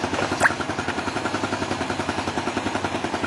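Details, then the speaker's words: Yamaha Jupiter Z1 (type 2SU/1DY) single-cylinder idling after cleaning the fuel pump and replacing the fuel filter: even pulse around three and a half beats a second, steady without misses; smooth engine, idle slightly higher, healthy. "nggak ada kendala sama sekali. Digas-gas pun mantul. Wih, lebih jos, suaranya lebih jos, gas lebih tinggi sedikit, dan suara mesin halus, nggak ada hubungan sih."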